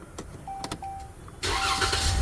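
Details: 2013 Ram with intermittent no-crank no-start, towed in: quiet key-on chimes, short crank catching straight into steady idle, starting normally this time; cranking functions are handled by the RFH (radio frequency hub) module.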